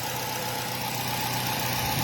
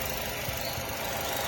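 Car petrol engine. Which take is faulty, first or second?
first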